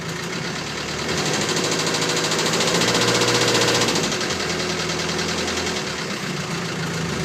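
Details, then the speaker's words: Land Rover Series 3 2.25 diesel, five-bearing engine, warm UK weather after 10–15 seconds of glow plugs: idle clatter with a sharp knock about three or four a second that comes in with revs and goes off-throttle; timing is out, owner also suspects the fuel pump. "it's quite a good strong engine apart from this knocking sound there it is you can just hear it coming in now but when I let off the revs it goes and it does run quite nice"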